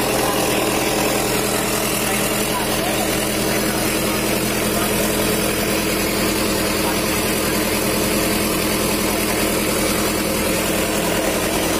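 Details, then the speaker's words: Rebuilt Mitsubishi Strada Triton 4D56T turbo diesel, rebuilt after overheating seized it and scored the liners; steady, even idle with no knocks or leak whistle, smooth now that the intake manifold hose to the turbo is temporarily fitted; injection pump and nozzles not serviced. "ra motor udah ini suaranya Udah halus karena selang dari intake manifold tubuhnya udah kita pasang meskipun untuk sementara biar turbonya menekan dan suaranya jadi halus"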